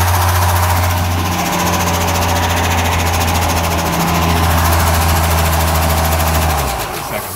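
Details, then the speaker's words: Chevy K10 pickup small-block with TBI, cold dry crank with no oil in the engine after a new oil pan: fast, even clatter over a steady idle; lifters ticking because there's no oil to pump them up. "I don't think it hurt anything because it was running last week and there was oil in the bearings but the lifters were a bit unhappy because there's no oil to pump them up"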